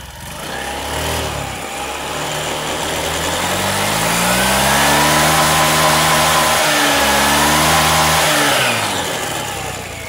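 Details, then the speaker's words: Honda Beat scooter after correctly fitting a CVT drive belt: engine revs up smoothly and settles back, pitch rising and falling cleanly with no belt whine, which would indicate a loose belt; drive running normally. "oke teman-teman ya nampak suaranya halus ya halus dan digas enggak bunyi Wing gitu"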